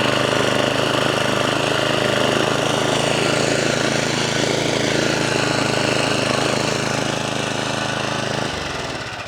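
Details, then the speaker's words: 1979 Norlett 1002 BS lawnmower, new in box and never run, after fuel mixture screw turned in for too much fuel: steady, even single-cylinder putter at constant speed for about eight seconds, then winds down. Normal running. "Engine starts, engine runs, cuts, even though it kind of rips the grass out instead of cutting it."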